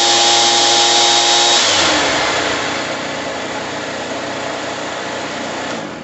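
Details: Echo PB-2100 power blower after carburetor and fuel line replacement, primed, fresh mixed fuel: high buzzy two-stroke note holding steady, then settling to a lower even whine; runs clean and healthy.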